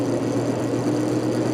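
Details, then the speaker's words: 1949 GE Vortalex 12-inch desk fan on low speed after the blade wobble was corrected: steady low hum with a faint even tone, no knocking or rubbing; only slight, acceptable shake. "A little bit of shaking, but it's an acceptable amount."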